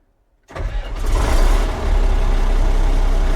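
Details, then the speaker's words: Komatsu D85E bulldozer diesel after injection pump drive coupler repair and retiming, reassembled: silence, then the starter catches and it fires straight up into a smooth, even low rumble with no smoke; starts healthy. "oh she just runs so good now fires right up no smoke that's just what we want to see runs great RC diesel approved"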